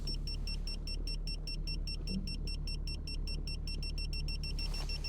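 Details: BMW E34 525tds being parked near another car; fast, even chirping beeps about five a second over a quiet diesel idle; parking sensor distance warning.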